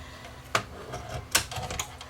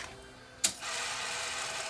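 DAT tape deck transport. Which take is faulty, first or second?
second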